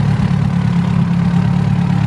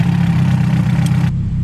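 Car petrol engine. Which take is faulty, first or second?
second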